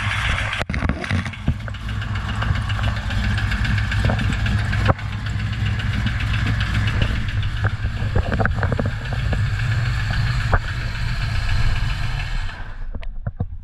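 Steady engine run with scattered sharp taps riding over the low rumble; sounds like knock from inside the engine, source not pinned down.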